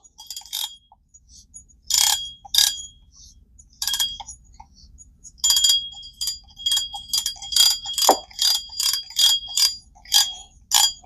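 Crisp, even, high-pitched clicking in short bursts as the spool is pulled, each burst steady; the drag clicker sounds healthy.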